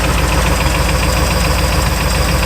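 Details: Pontiac barn find revived after about 20 years, V8 idling: steady with a light, even tapping over the rumble; suspected sticky wrist pin, expected possibly to get louder as it warms. Valves seem to seal well. Engine knock, source uncertain.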